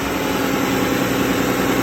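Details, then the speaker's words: 1995 Nissan D21 truck, V6 with automatic transmission, idling smoothly and evenly with no knocks, misses or rattles after a new starter fixed slow cranking; the new starter spins it over much faster than the old one. "well guys as you can hear that thing spins over way faster than that other old starter and that was definitely what the problem was with this truck"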